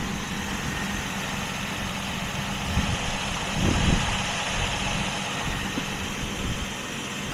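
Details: 2001 Jeep Grand Cherokee WJ 4.0 inline-six after water pump replacement, warming up while coolant is refilled: steady, even idle with smooth low hum, no knocks or misses; sounds healthy.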